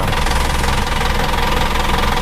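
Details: Isuzu Traga diesel after tuning to raise torque and responsiveness: a steady, even clatter with a solid low rumble and no misses. It runs normally and healthily.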